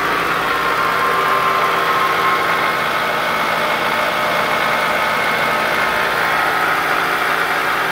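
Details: 2003 Toyota Camry at idle after a shredded belt was replaced without replacing the tensioner: fast, uneven light ticking over the engine note, loud at different idle speeds. Traced to worn lifters, camshaft and timing idler; the original camshaft snapped at 200k miles.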